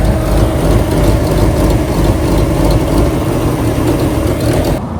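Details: 1995 Mustang GT 5.0 V8 revived after new fluids and a belt bypassing the locking smog pump: runs steadily at fast idle with choppy big-cam lope, no knocks or misfires; healthy.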